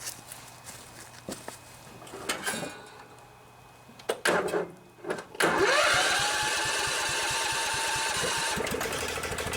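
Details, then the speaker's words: Scotts riding mower with a 15 hp Kohler Command engine, started on a cold morning: a few failed pulls, then it fires and holds a steady but slightly uneven idle, rough until it warms up. "so a little cold out here this morning so things are taking a while to warm up"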